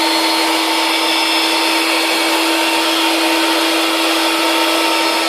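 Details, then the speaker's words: Electric air bed pump repositioned with a gap at the valve after it had been pressed against it and running slow: a loud, steady, high whir with rushing air, no labouring; it now inflates normally. "And as you can see, oh yes, that's working fine. So where I said this before, it was working a bit slow, that was the reason, because I had it pressed up against the thing."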